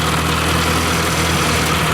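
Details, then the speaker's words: Ford 600 tractor after a used hydraulic pump swap, idling steadily with the belt off and no water pump fitted; the felt vibration is gone, pointing to the water pump; some lifter noise remains. "The vibration I was worried about, you could actually feel in the tractor is gone. So we got to put a water pump on this thing, shut it off before it gets too hot."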